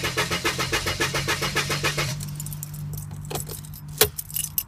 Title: Car won't start